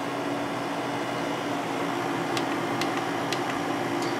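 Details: Windmill 6,000 BTU window air conditioner installed in window, cool mode, fan switched to high; steady airy rush with faint even hum, no rattles or grinding; normal high-fan operation.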